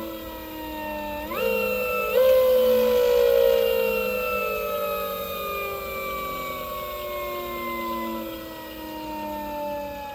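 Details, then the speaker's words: Fardriver controller on electric motor (96V 88.2Ah, ELX600 build) throwing phase current overflow error: loud scraping whine at low RPM with original Ki settings; after setting Ki to 1/1/1, smoother but still uneven as it coasts down; owner suspects controller supplying faulty current. "really loud nasty like a magnet rubbing on something I don't know something hard like a scraping but it only does it at low RPMs"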